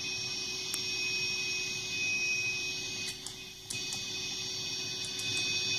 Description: My new TC VOICELIVE 3 pedal with loud hiss sound.... Guitar volume is set to off.... pedal does the hum itself